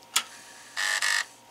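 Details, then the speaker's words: Atari 1050 floppy disk drive powered up with no disk inserted: a sharp click, then two short buzzy bursts as the head steps and retracts, while the drive light blinks briefly. A normal startup. "that's normal Buddha okay I mean that's the normal startup"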